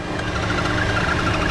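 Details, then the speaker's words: 2014 Chevy Cruze 1.4 turbo four-cylinder at idle, misfire on cylinder 4 (coil pack suspected): light, quick high chirps repeat several times a second, belt-like, though the belt looks good; chirping suspected to be a failing PCV valve in the valve cover. "sounds like a belt well look at the belt good and all but that's usually a lot of times that chirping noise is sign of a PVC valve in the valve cover going back"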